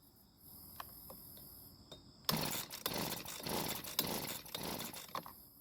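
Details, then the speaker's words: Husqvarna leaf blower that ran one day and not the next; engine believed healthy, fuel correctly mixed. Quiet pulls, then it catches for a brief ragged moment and dies. Hard starting, consistent with a stuck carburettor metering diaphragm. "well the bad news is that we weren't able to get it to start and run but the good news is that it did try and start for one very brief second"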